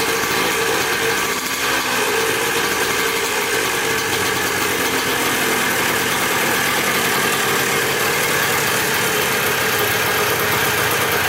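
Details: Dirt bike bought in a four-bike lot, first start after checking the petcock and carburetor and refitting the spark plug: a bright, buzzy, smooth, constant two-stroke idle with no stumbling or rattles; normal idle.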